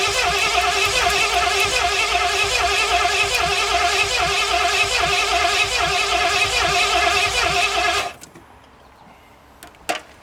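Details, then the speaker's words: 1981 Mustang 5.0 V8 parked since 1996, cold start on a homemade aluminum fuel tank with its petcock left closed: steady cranking about 2.5 turns a second, then a sharp pop as the carburetor backfires. "That initial fire scared me. I wasn't expecting it to happen so soon."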